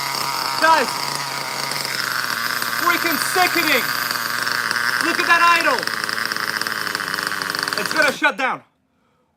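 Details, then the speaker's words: Vintage 1983 Thunder Tiger nitro buggy, first run in about 40 years with replacement Traxxas fuel lines: a high, steady screaming idle with a few wavering dips, then it fades and cuts out. The idle is set too low and needs raising. "my god i am amazed i i can't believe it let's raise the idol and do it again"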